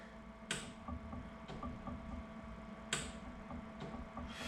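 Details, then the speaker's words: Commissioning a new inkjet printer before inking: pressing the red test buttons on each solenoid valve (gutter, tank makeup); crisp, sharp clicks a second or so apart in a quiet room, the solenoid snapping cleanly and working normally. "I'm actually listening for a click of the solenoid clicking so if we do the flush you can hear that nice click"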